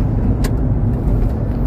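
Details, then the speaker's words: Mitsubishi Pajero 6G72 automatic, transmission replaced four times from overheating, now driving after transmission cooler replacement: steady low road rumble, smooth drive, no whine, slip or clunk; gearbox healthy with cooling fixed. "Pagkatapos palitan ng transmission cooler, ito ang resulta, napakaganda ng transmission at ito ay tatagal dahil maganda na ang cooling system."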